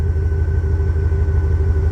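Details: 2000 Chevrolet K3500 pickup, 7.4L (454) big-block gas V8, 147,000 miles, just remote-started. Idles with a deep, even rumble and steady low throb, no knocks or misses: normal idle.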